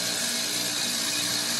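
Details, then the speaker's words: Heat pump outdoor unit in cold weather entering defrost: the outdoor fan stops and the reversing valve shifts into cooling mode, releasing pressure. Steady loud hiss of rushing refrigerant over a faint hum. Normal defrost reversing valve shift. "you can see it now the other fan quit running and you heard the reverse about release the pressure and switched directions"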